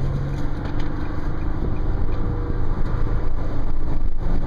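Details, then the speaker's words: 2010 Nissan Murano LE with sunroof open, recorded under the sunroof at steady 45–50 mph: deep constant air roar and buffeting, louder than normal; sunroof wind noise. "Alright, 40, cruising at 50. Pretty loud for 45, at least I think."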